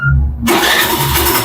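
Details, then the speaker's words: Hero Destini 125 BS6 scooter, reassembled after cylinder head fitting and timing setting: a quick, clean self-start that catches at once and settles into a smooth, even idle with no knocks or misses, so the engine runs normally after the repair. "अंत में आवाज एकदम सही है। मक्खन की तरह यह चला गया और यह चला गया।"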